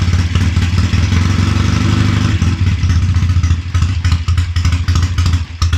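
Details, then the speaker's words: Triumph Tiger 90 350 motorcycle with electronic ignition at first start-up after rebuild, before strobe timing and tuning: low, lumpy tickover turning ragged and uneven, barely holding idle; rough idle, likely needing timing and mixture set. "come on you're embarrassing yourself now I had you sweet as a n come on"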